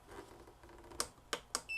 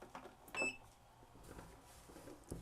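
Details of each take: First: Black & Decker VEC1095ABD battery charger, about 20 years old with hard-to-press buttons, plugged in with no battery connected: button clicks, then one short high beep as it runs its check. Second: Black & Decker VEC1095ABD battery charger, about 20 years old, after replacing hard-to-push tact switches: a short high beep, a pause, then two crisp beeps; each button press registers cleanly.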